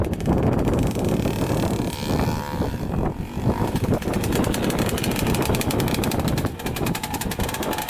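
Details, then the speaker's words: Kawasaki KX65 two-stroke dirt bike after repair, ridden: raspy, harsh exhaust rising and falling with throttle, really loud and ringing; rider suspects the silencer needs repacking. "I need some repacking but yeah it's really loud"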